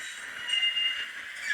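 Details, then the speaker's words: Small DCC model locomotive running on dirty track: thin high squeal wavering between a couple of pitches; wheel squeal of unknown cause. "it does make that squealing noise which is quite irritating"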